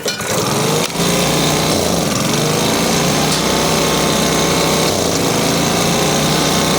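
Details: Makita BHX2500CA four-stroke blower with a new aftermarket carburetor after turning its adjustment screw counterclockwise until the sputter stopped: steady high buzzing revs with no sputter or bog; normal running.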